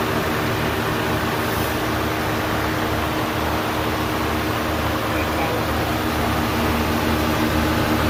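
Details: 1991 Acura Legend coupe first start after timing belt, tensioner and water pump replacement, heater on full blast while bleeding coolant: steady, even engine run under a loud constant blower rush, no knocks or misses, normal idle.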